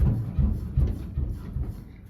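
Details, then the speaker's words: 1989 Chevy OBS lowrider truck, rear bounced with worn-out air shocks: five dull low thunks about every 0.4 seconds as the rear bottoms against the bed; leaf springs and bushings to be replaced. "I don't know if you could hear that, but it's thunking on the bottom of the bed."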